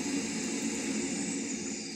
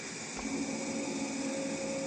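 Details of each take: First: Chaffoteaux Pigma Green condensing boiler fan, tested with the pipe removed: a smooth airy rush that tapers off, with no squeal or hum. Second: Shaffoteaux Pigma Green condensing gas boiler during cleaning. At ignition a steady high squeal rises over the burner roar and holds even; it is absent without the refitted air intake pipe, which is suspected as the cause.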